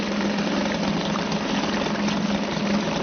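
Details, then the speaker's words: Suzuki DT 2.2 HP two-stroke outboard idling in a test tank on fuel at least a season old; steady even putter, no stumbles; starts okay, slight smokiness owner thinks is from too much oil in the mix. "I think the fuel that's been in here has been in for at least this season, but it still starts okay. There's just a little bit of smokiness on it, and I think that's probably just because there's a bit too much oil in the mixture."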